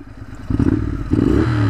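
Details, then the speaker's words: Motorcycle with about 3 L of diesel mixed into its petrol, diesel now reaching the engine, accelerating; note turns clattery, uneven and knocking, taking ages to gain speed; rough running on diesel-contaminated fuel. "oh God it's running like horribly wrong and it's taking ages to accelerate"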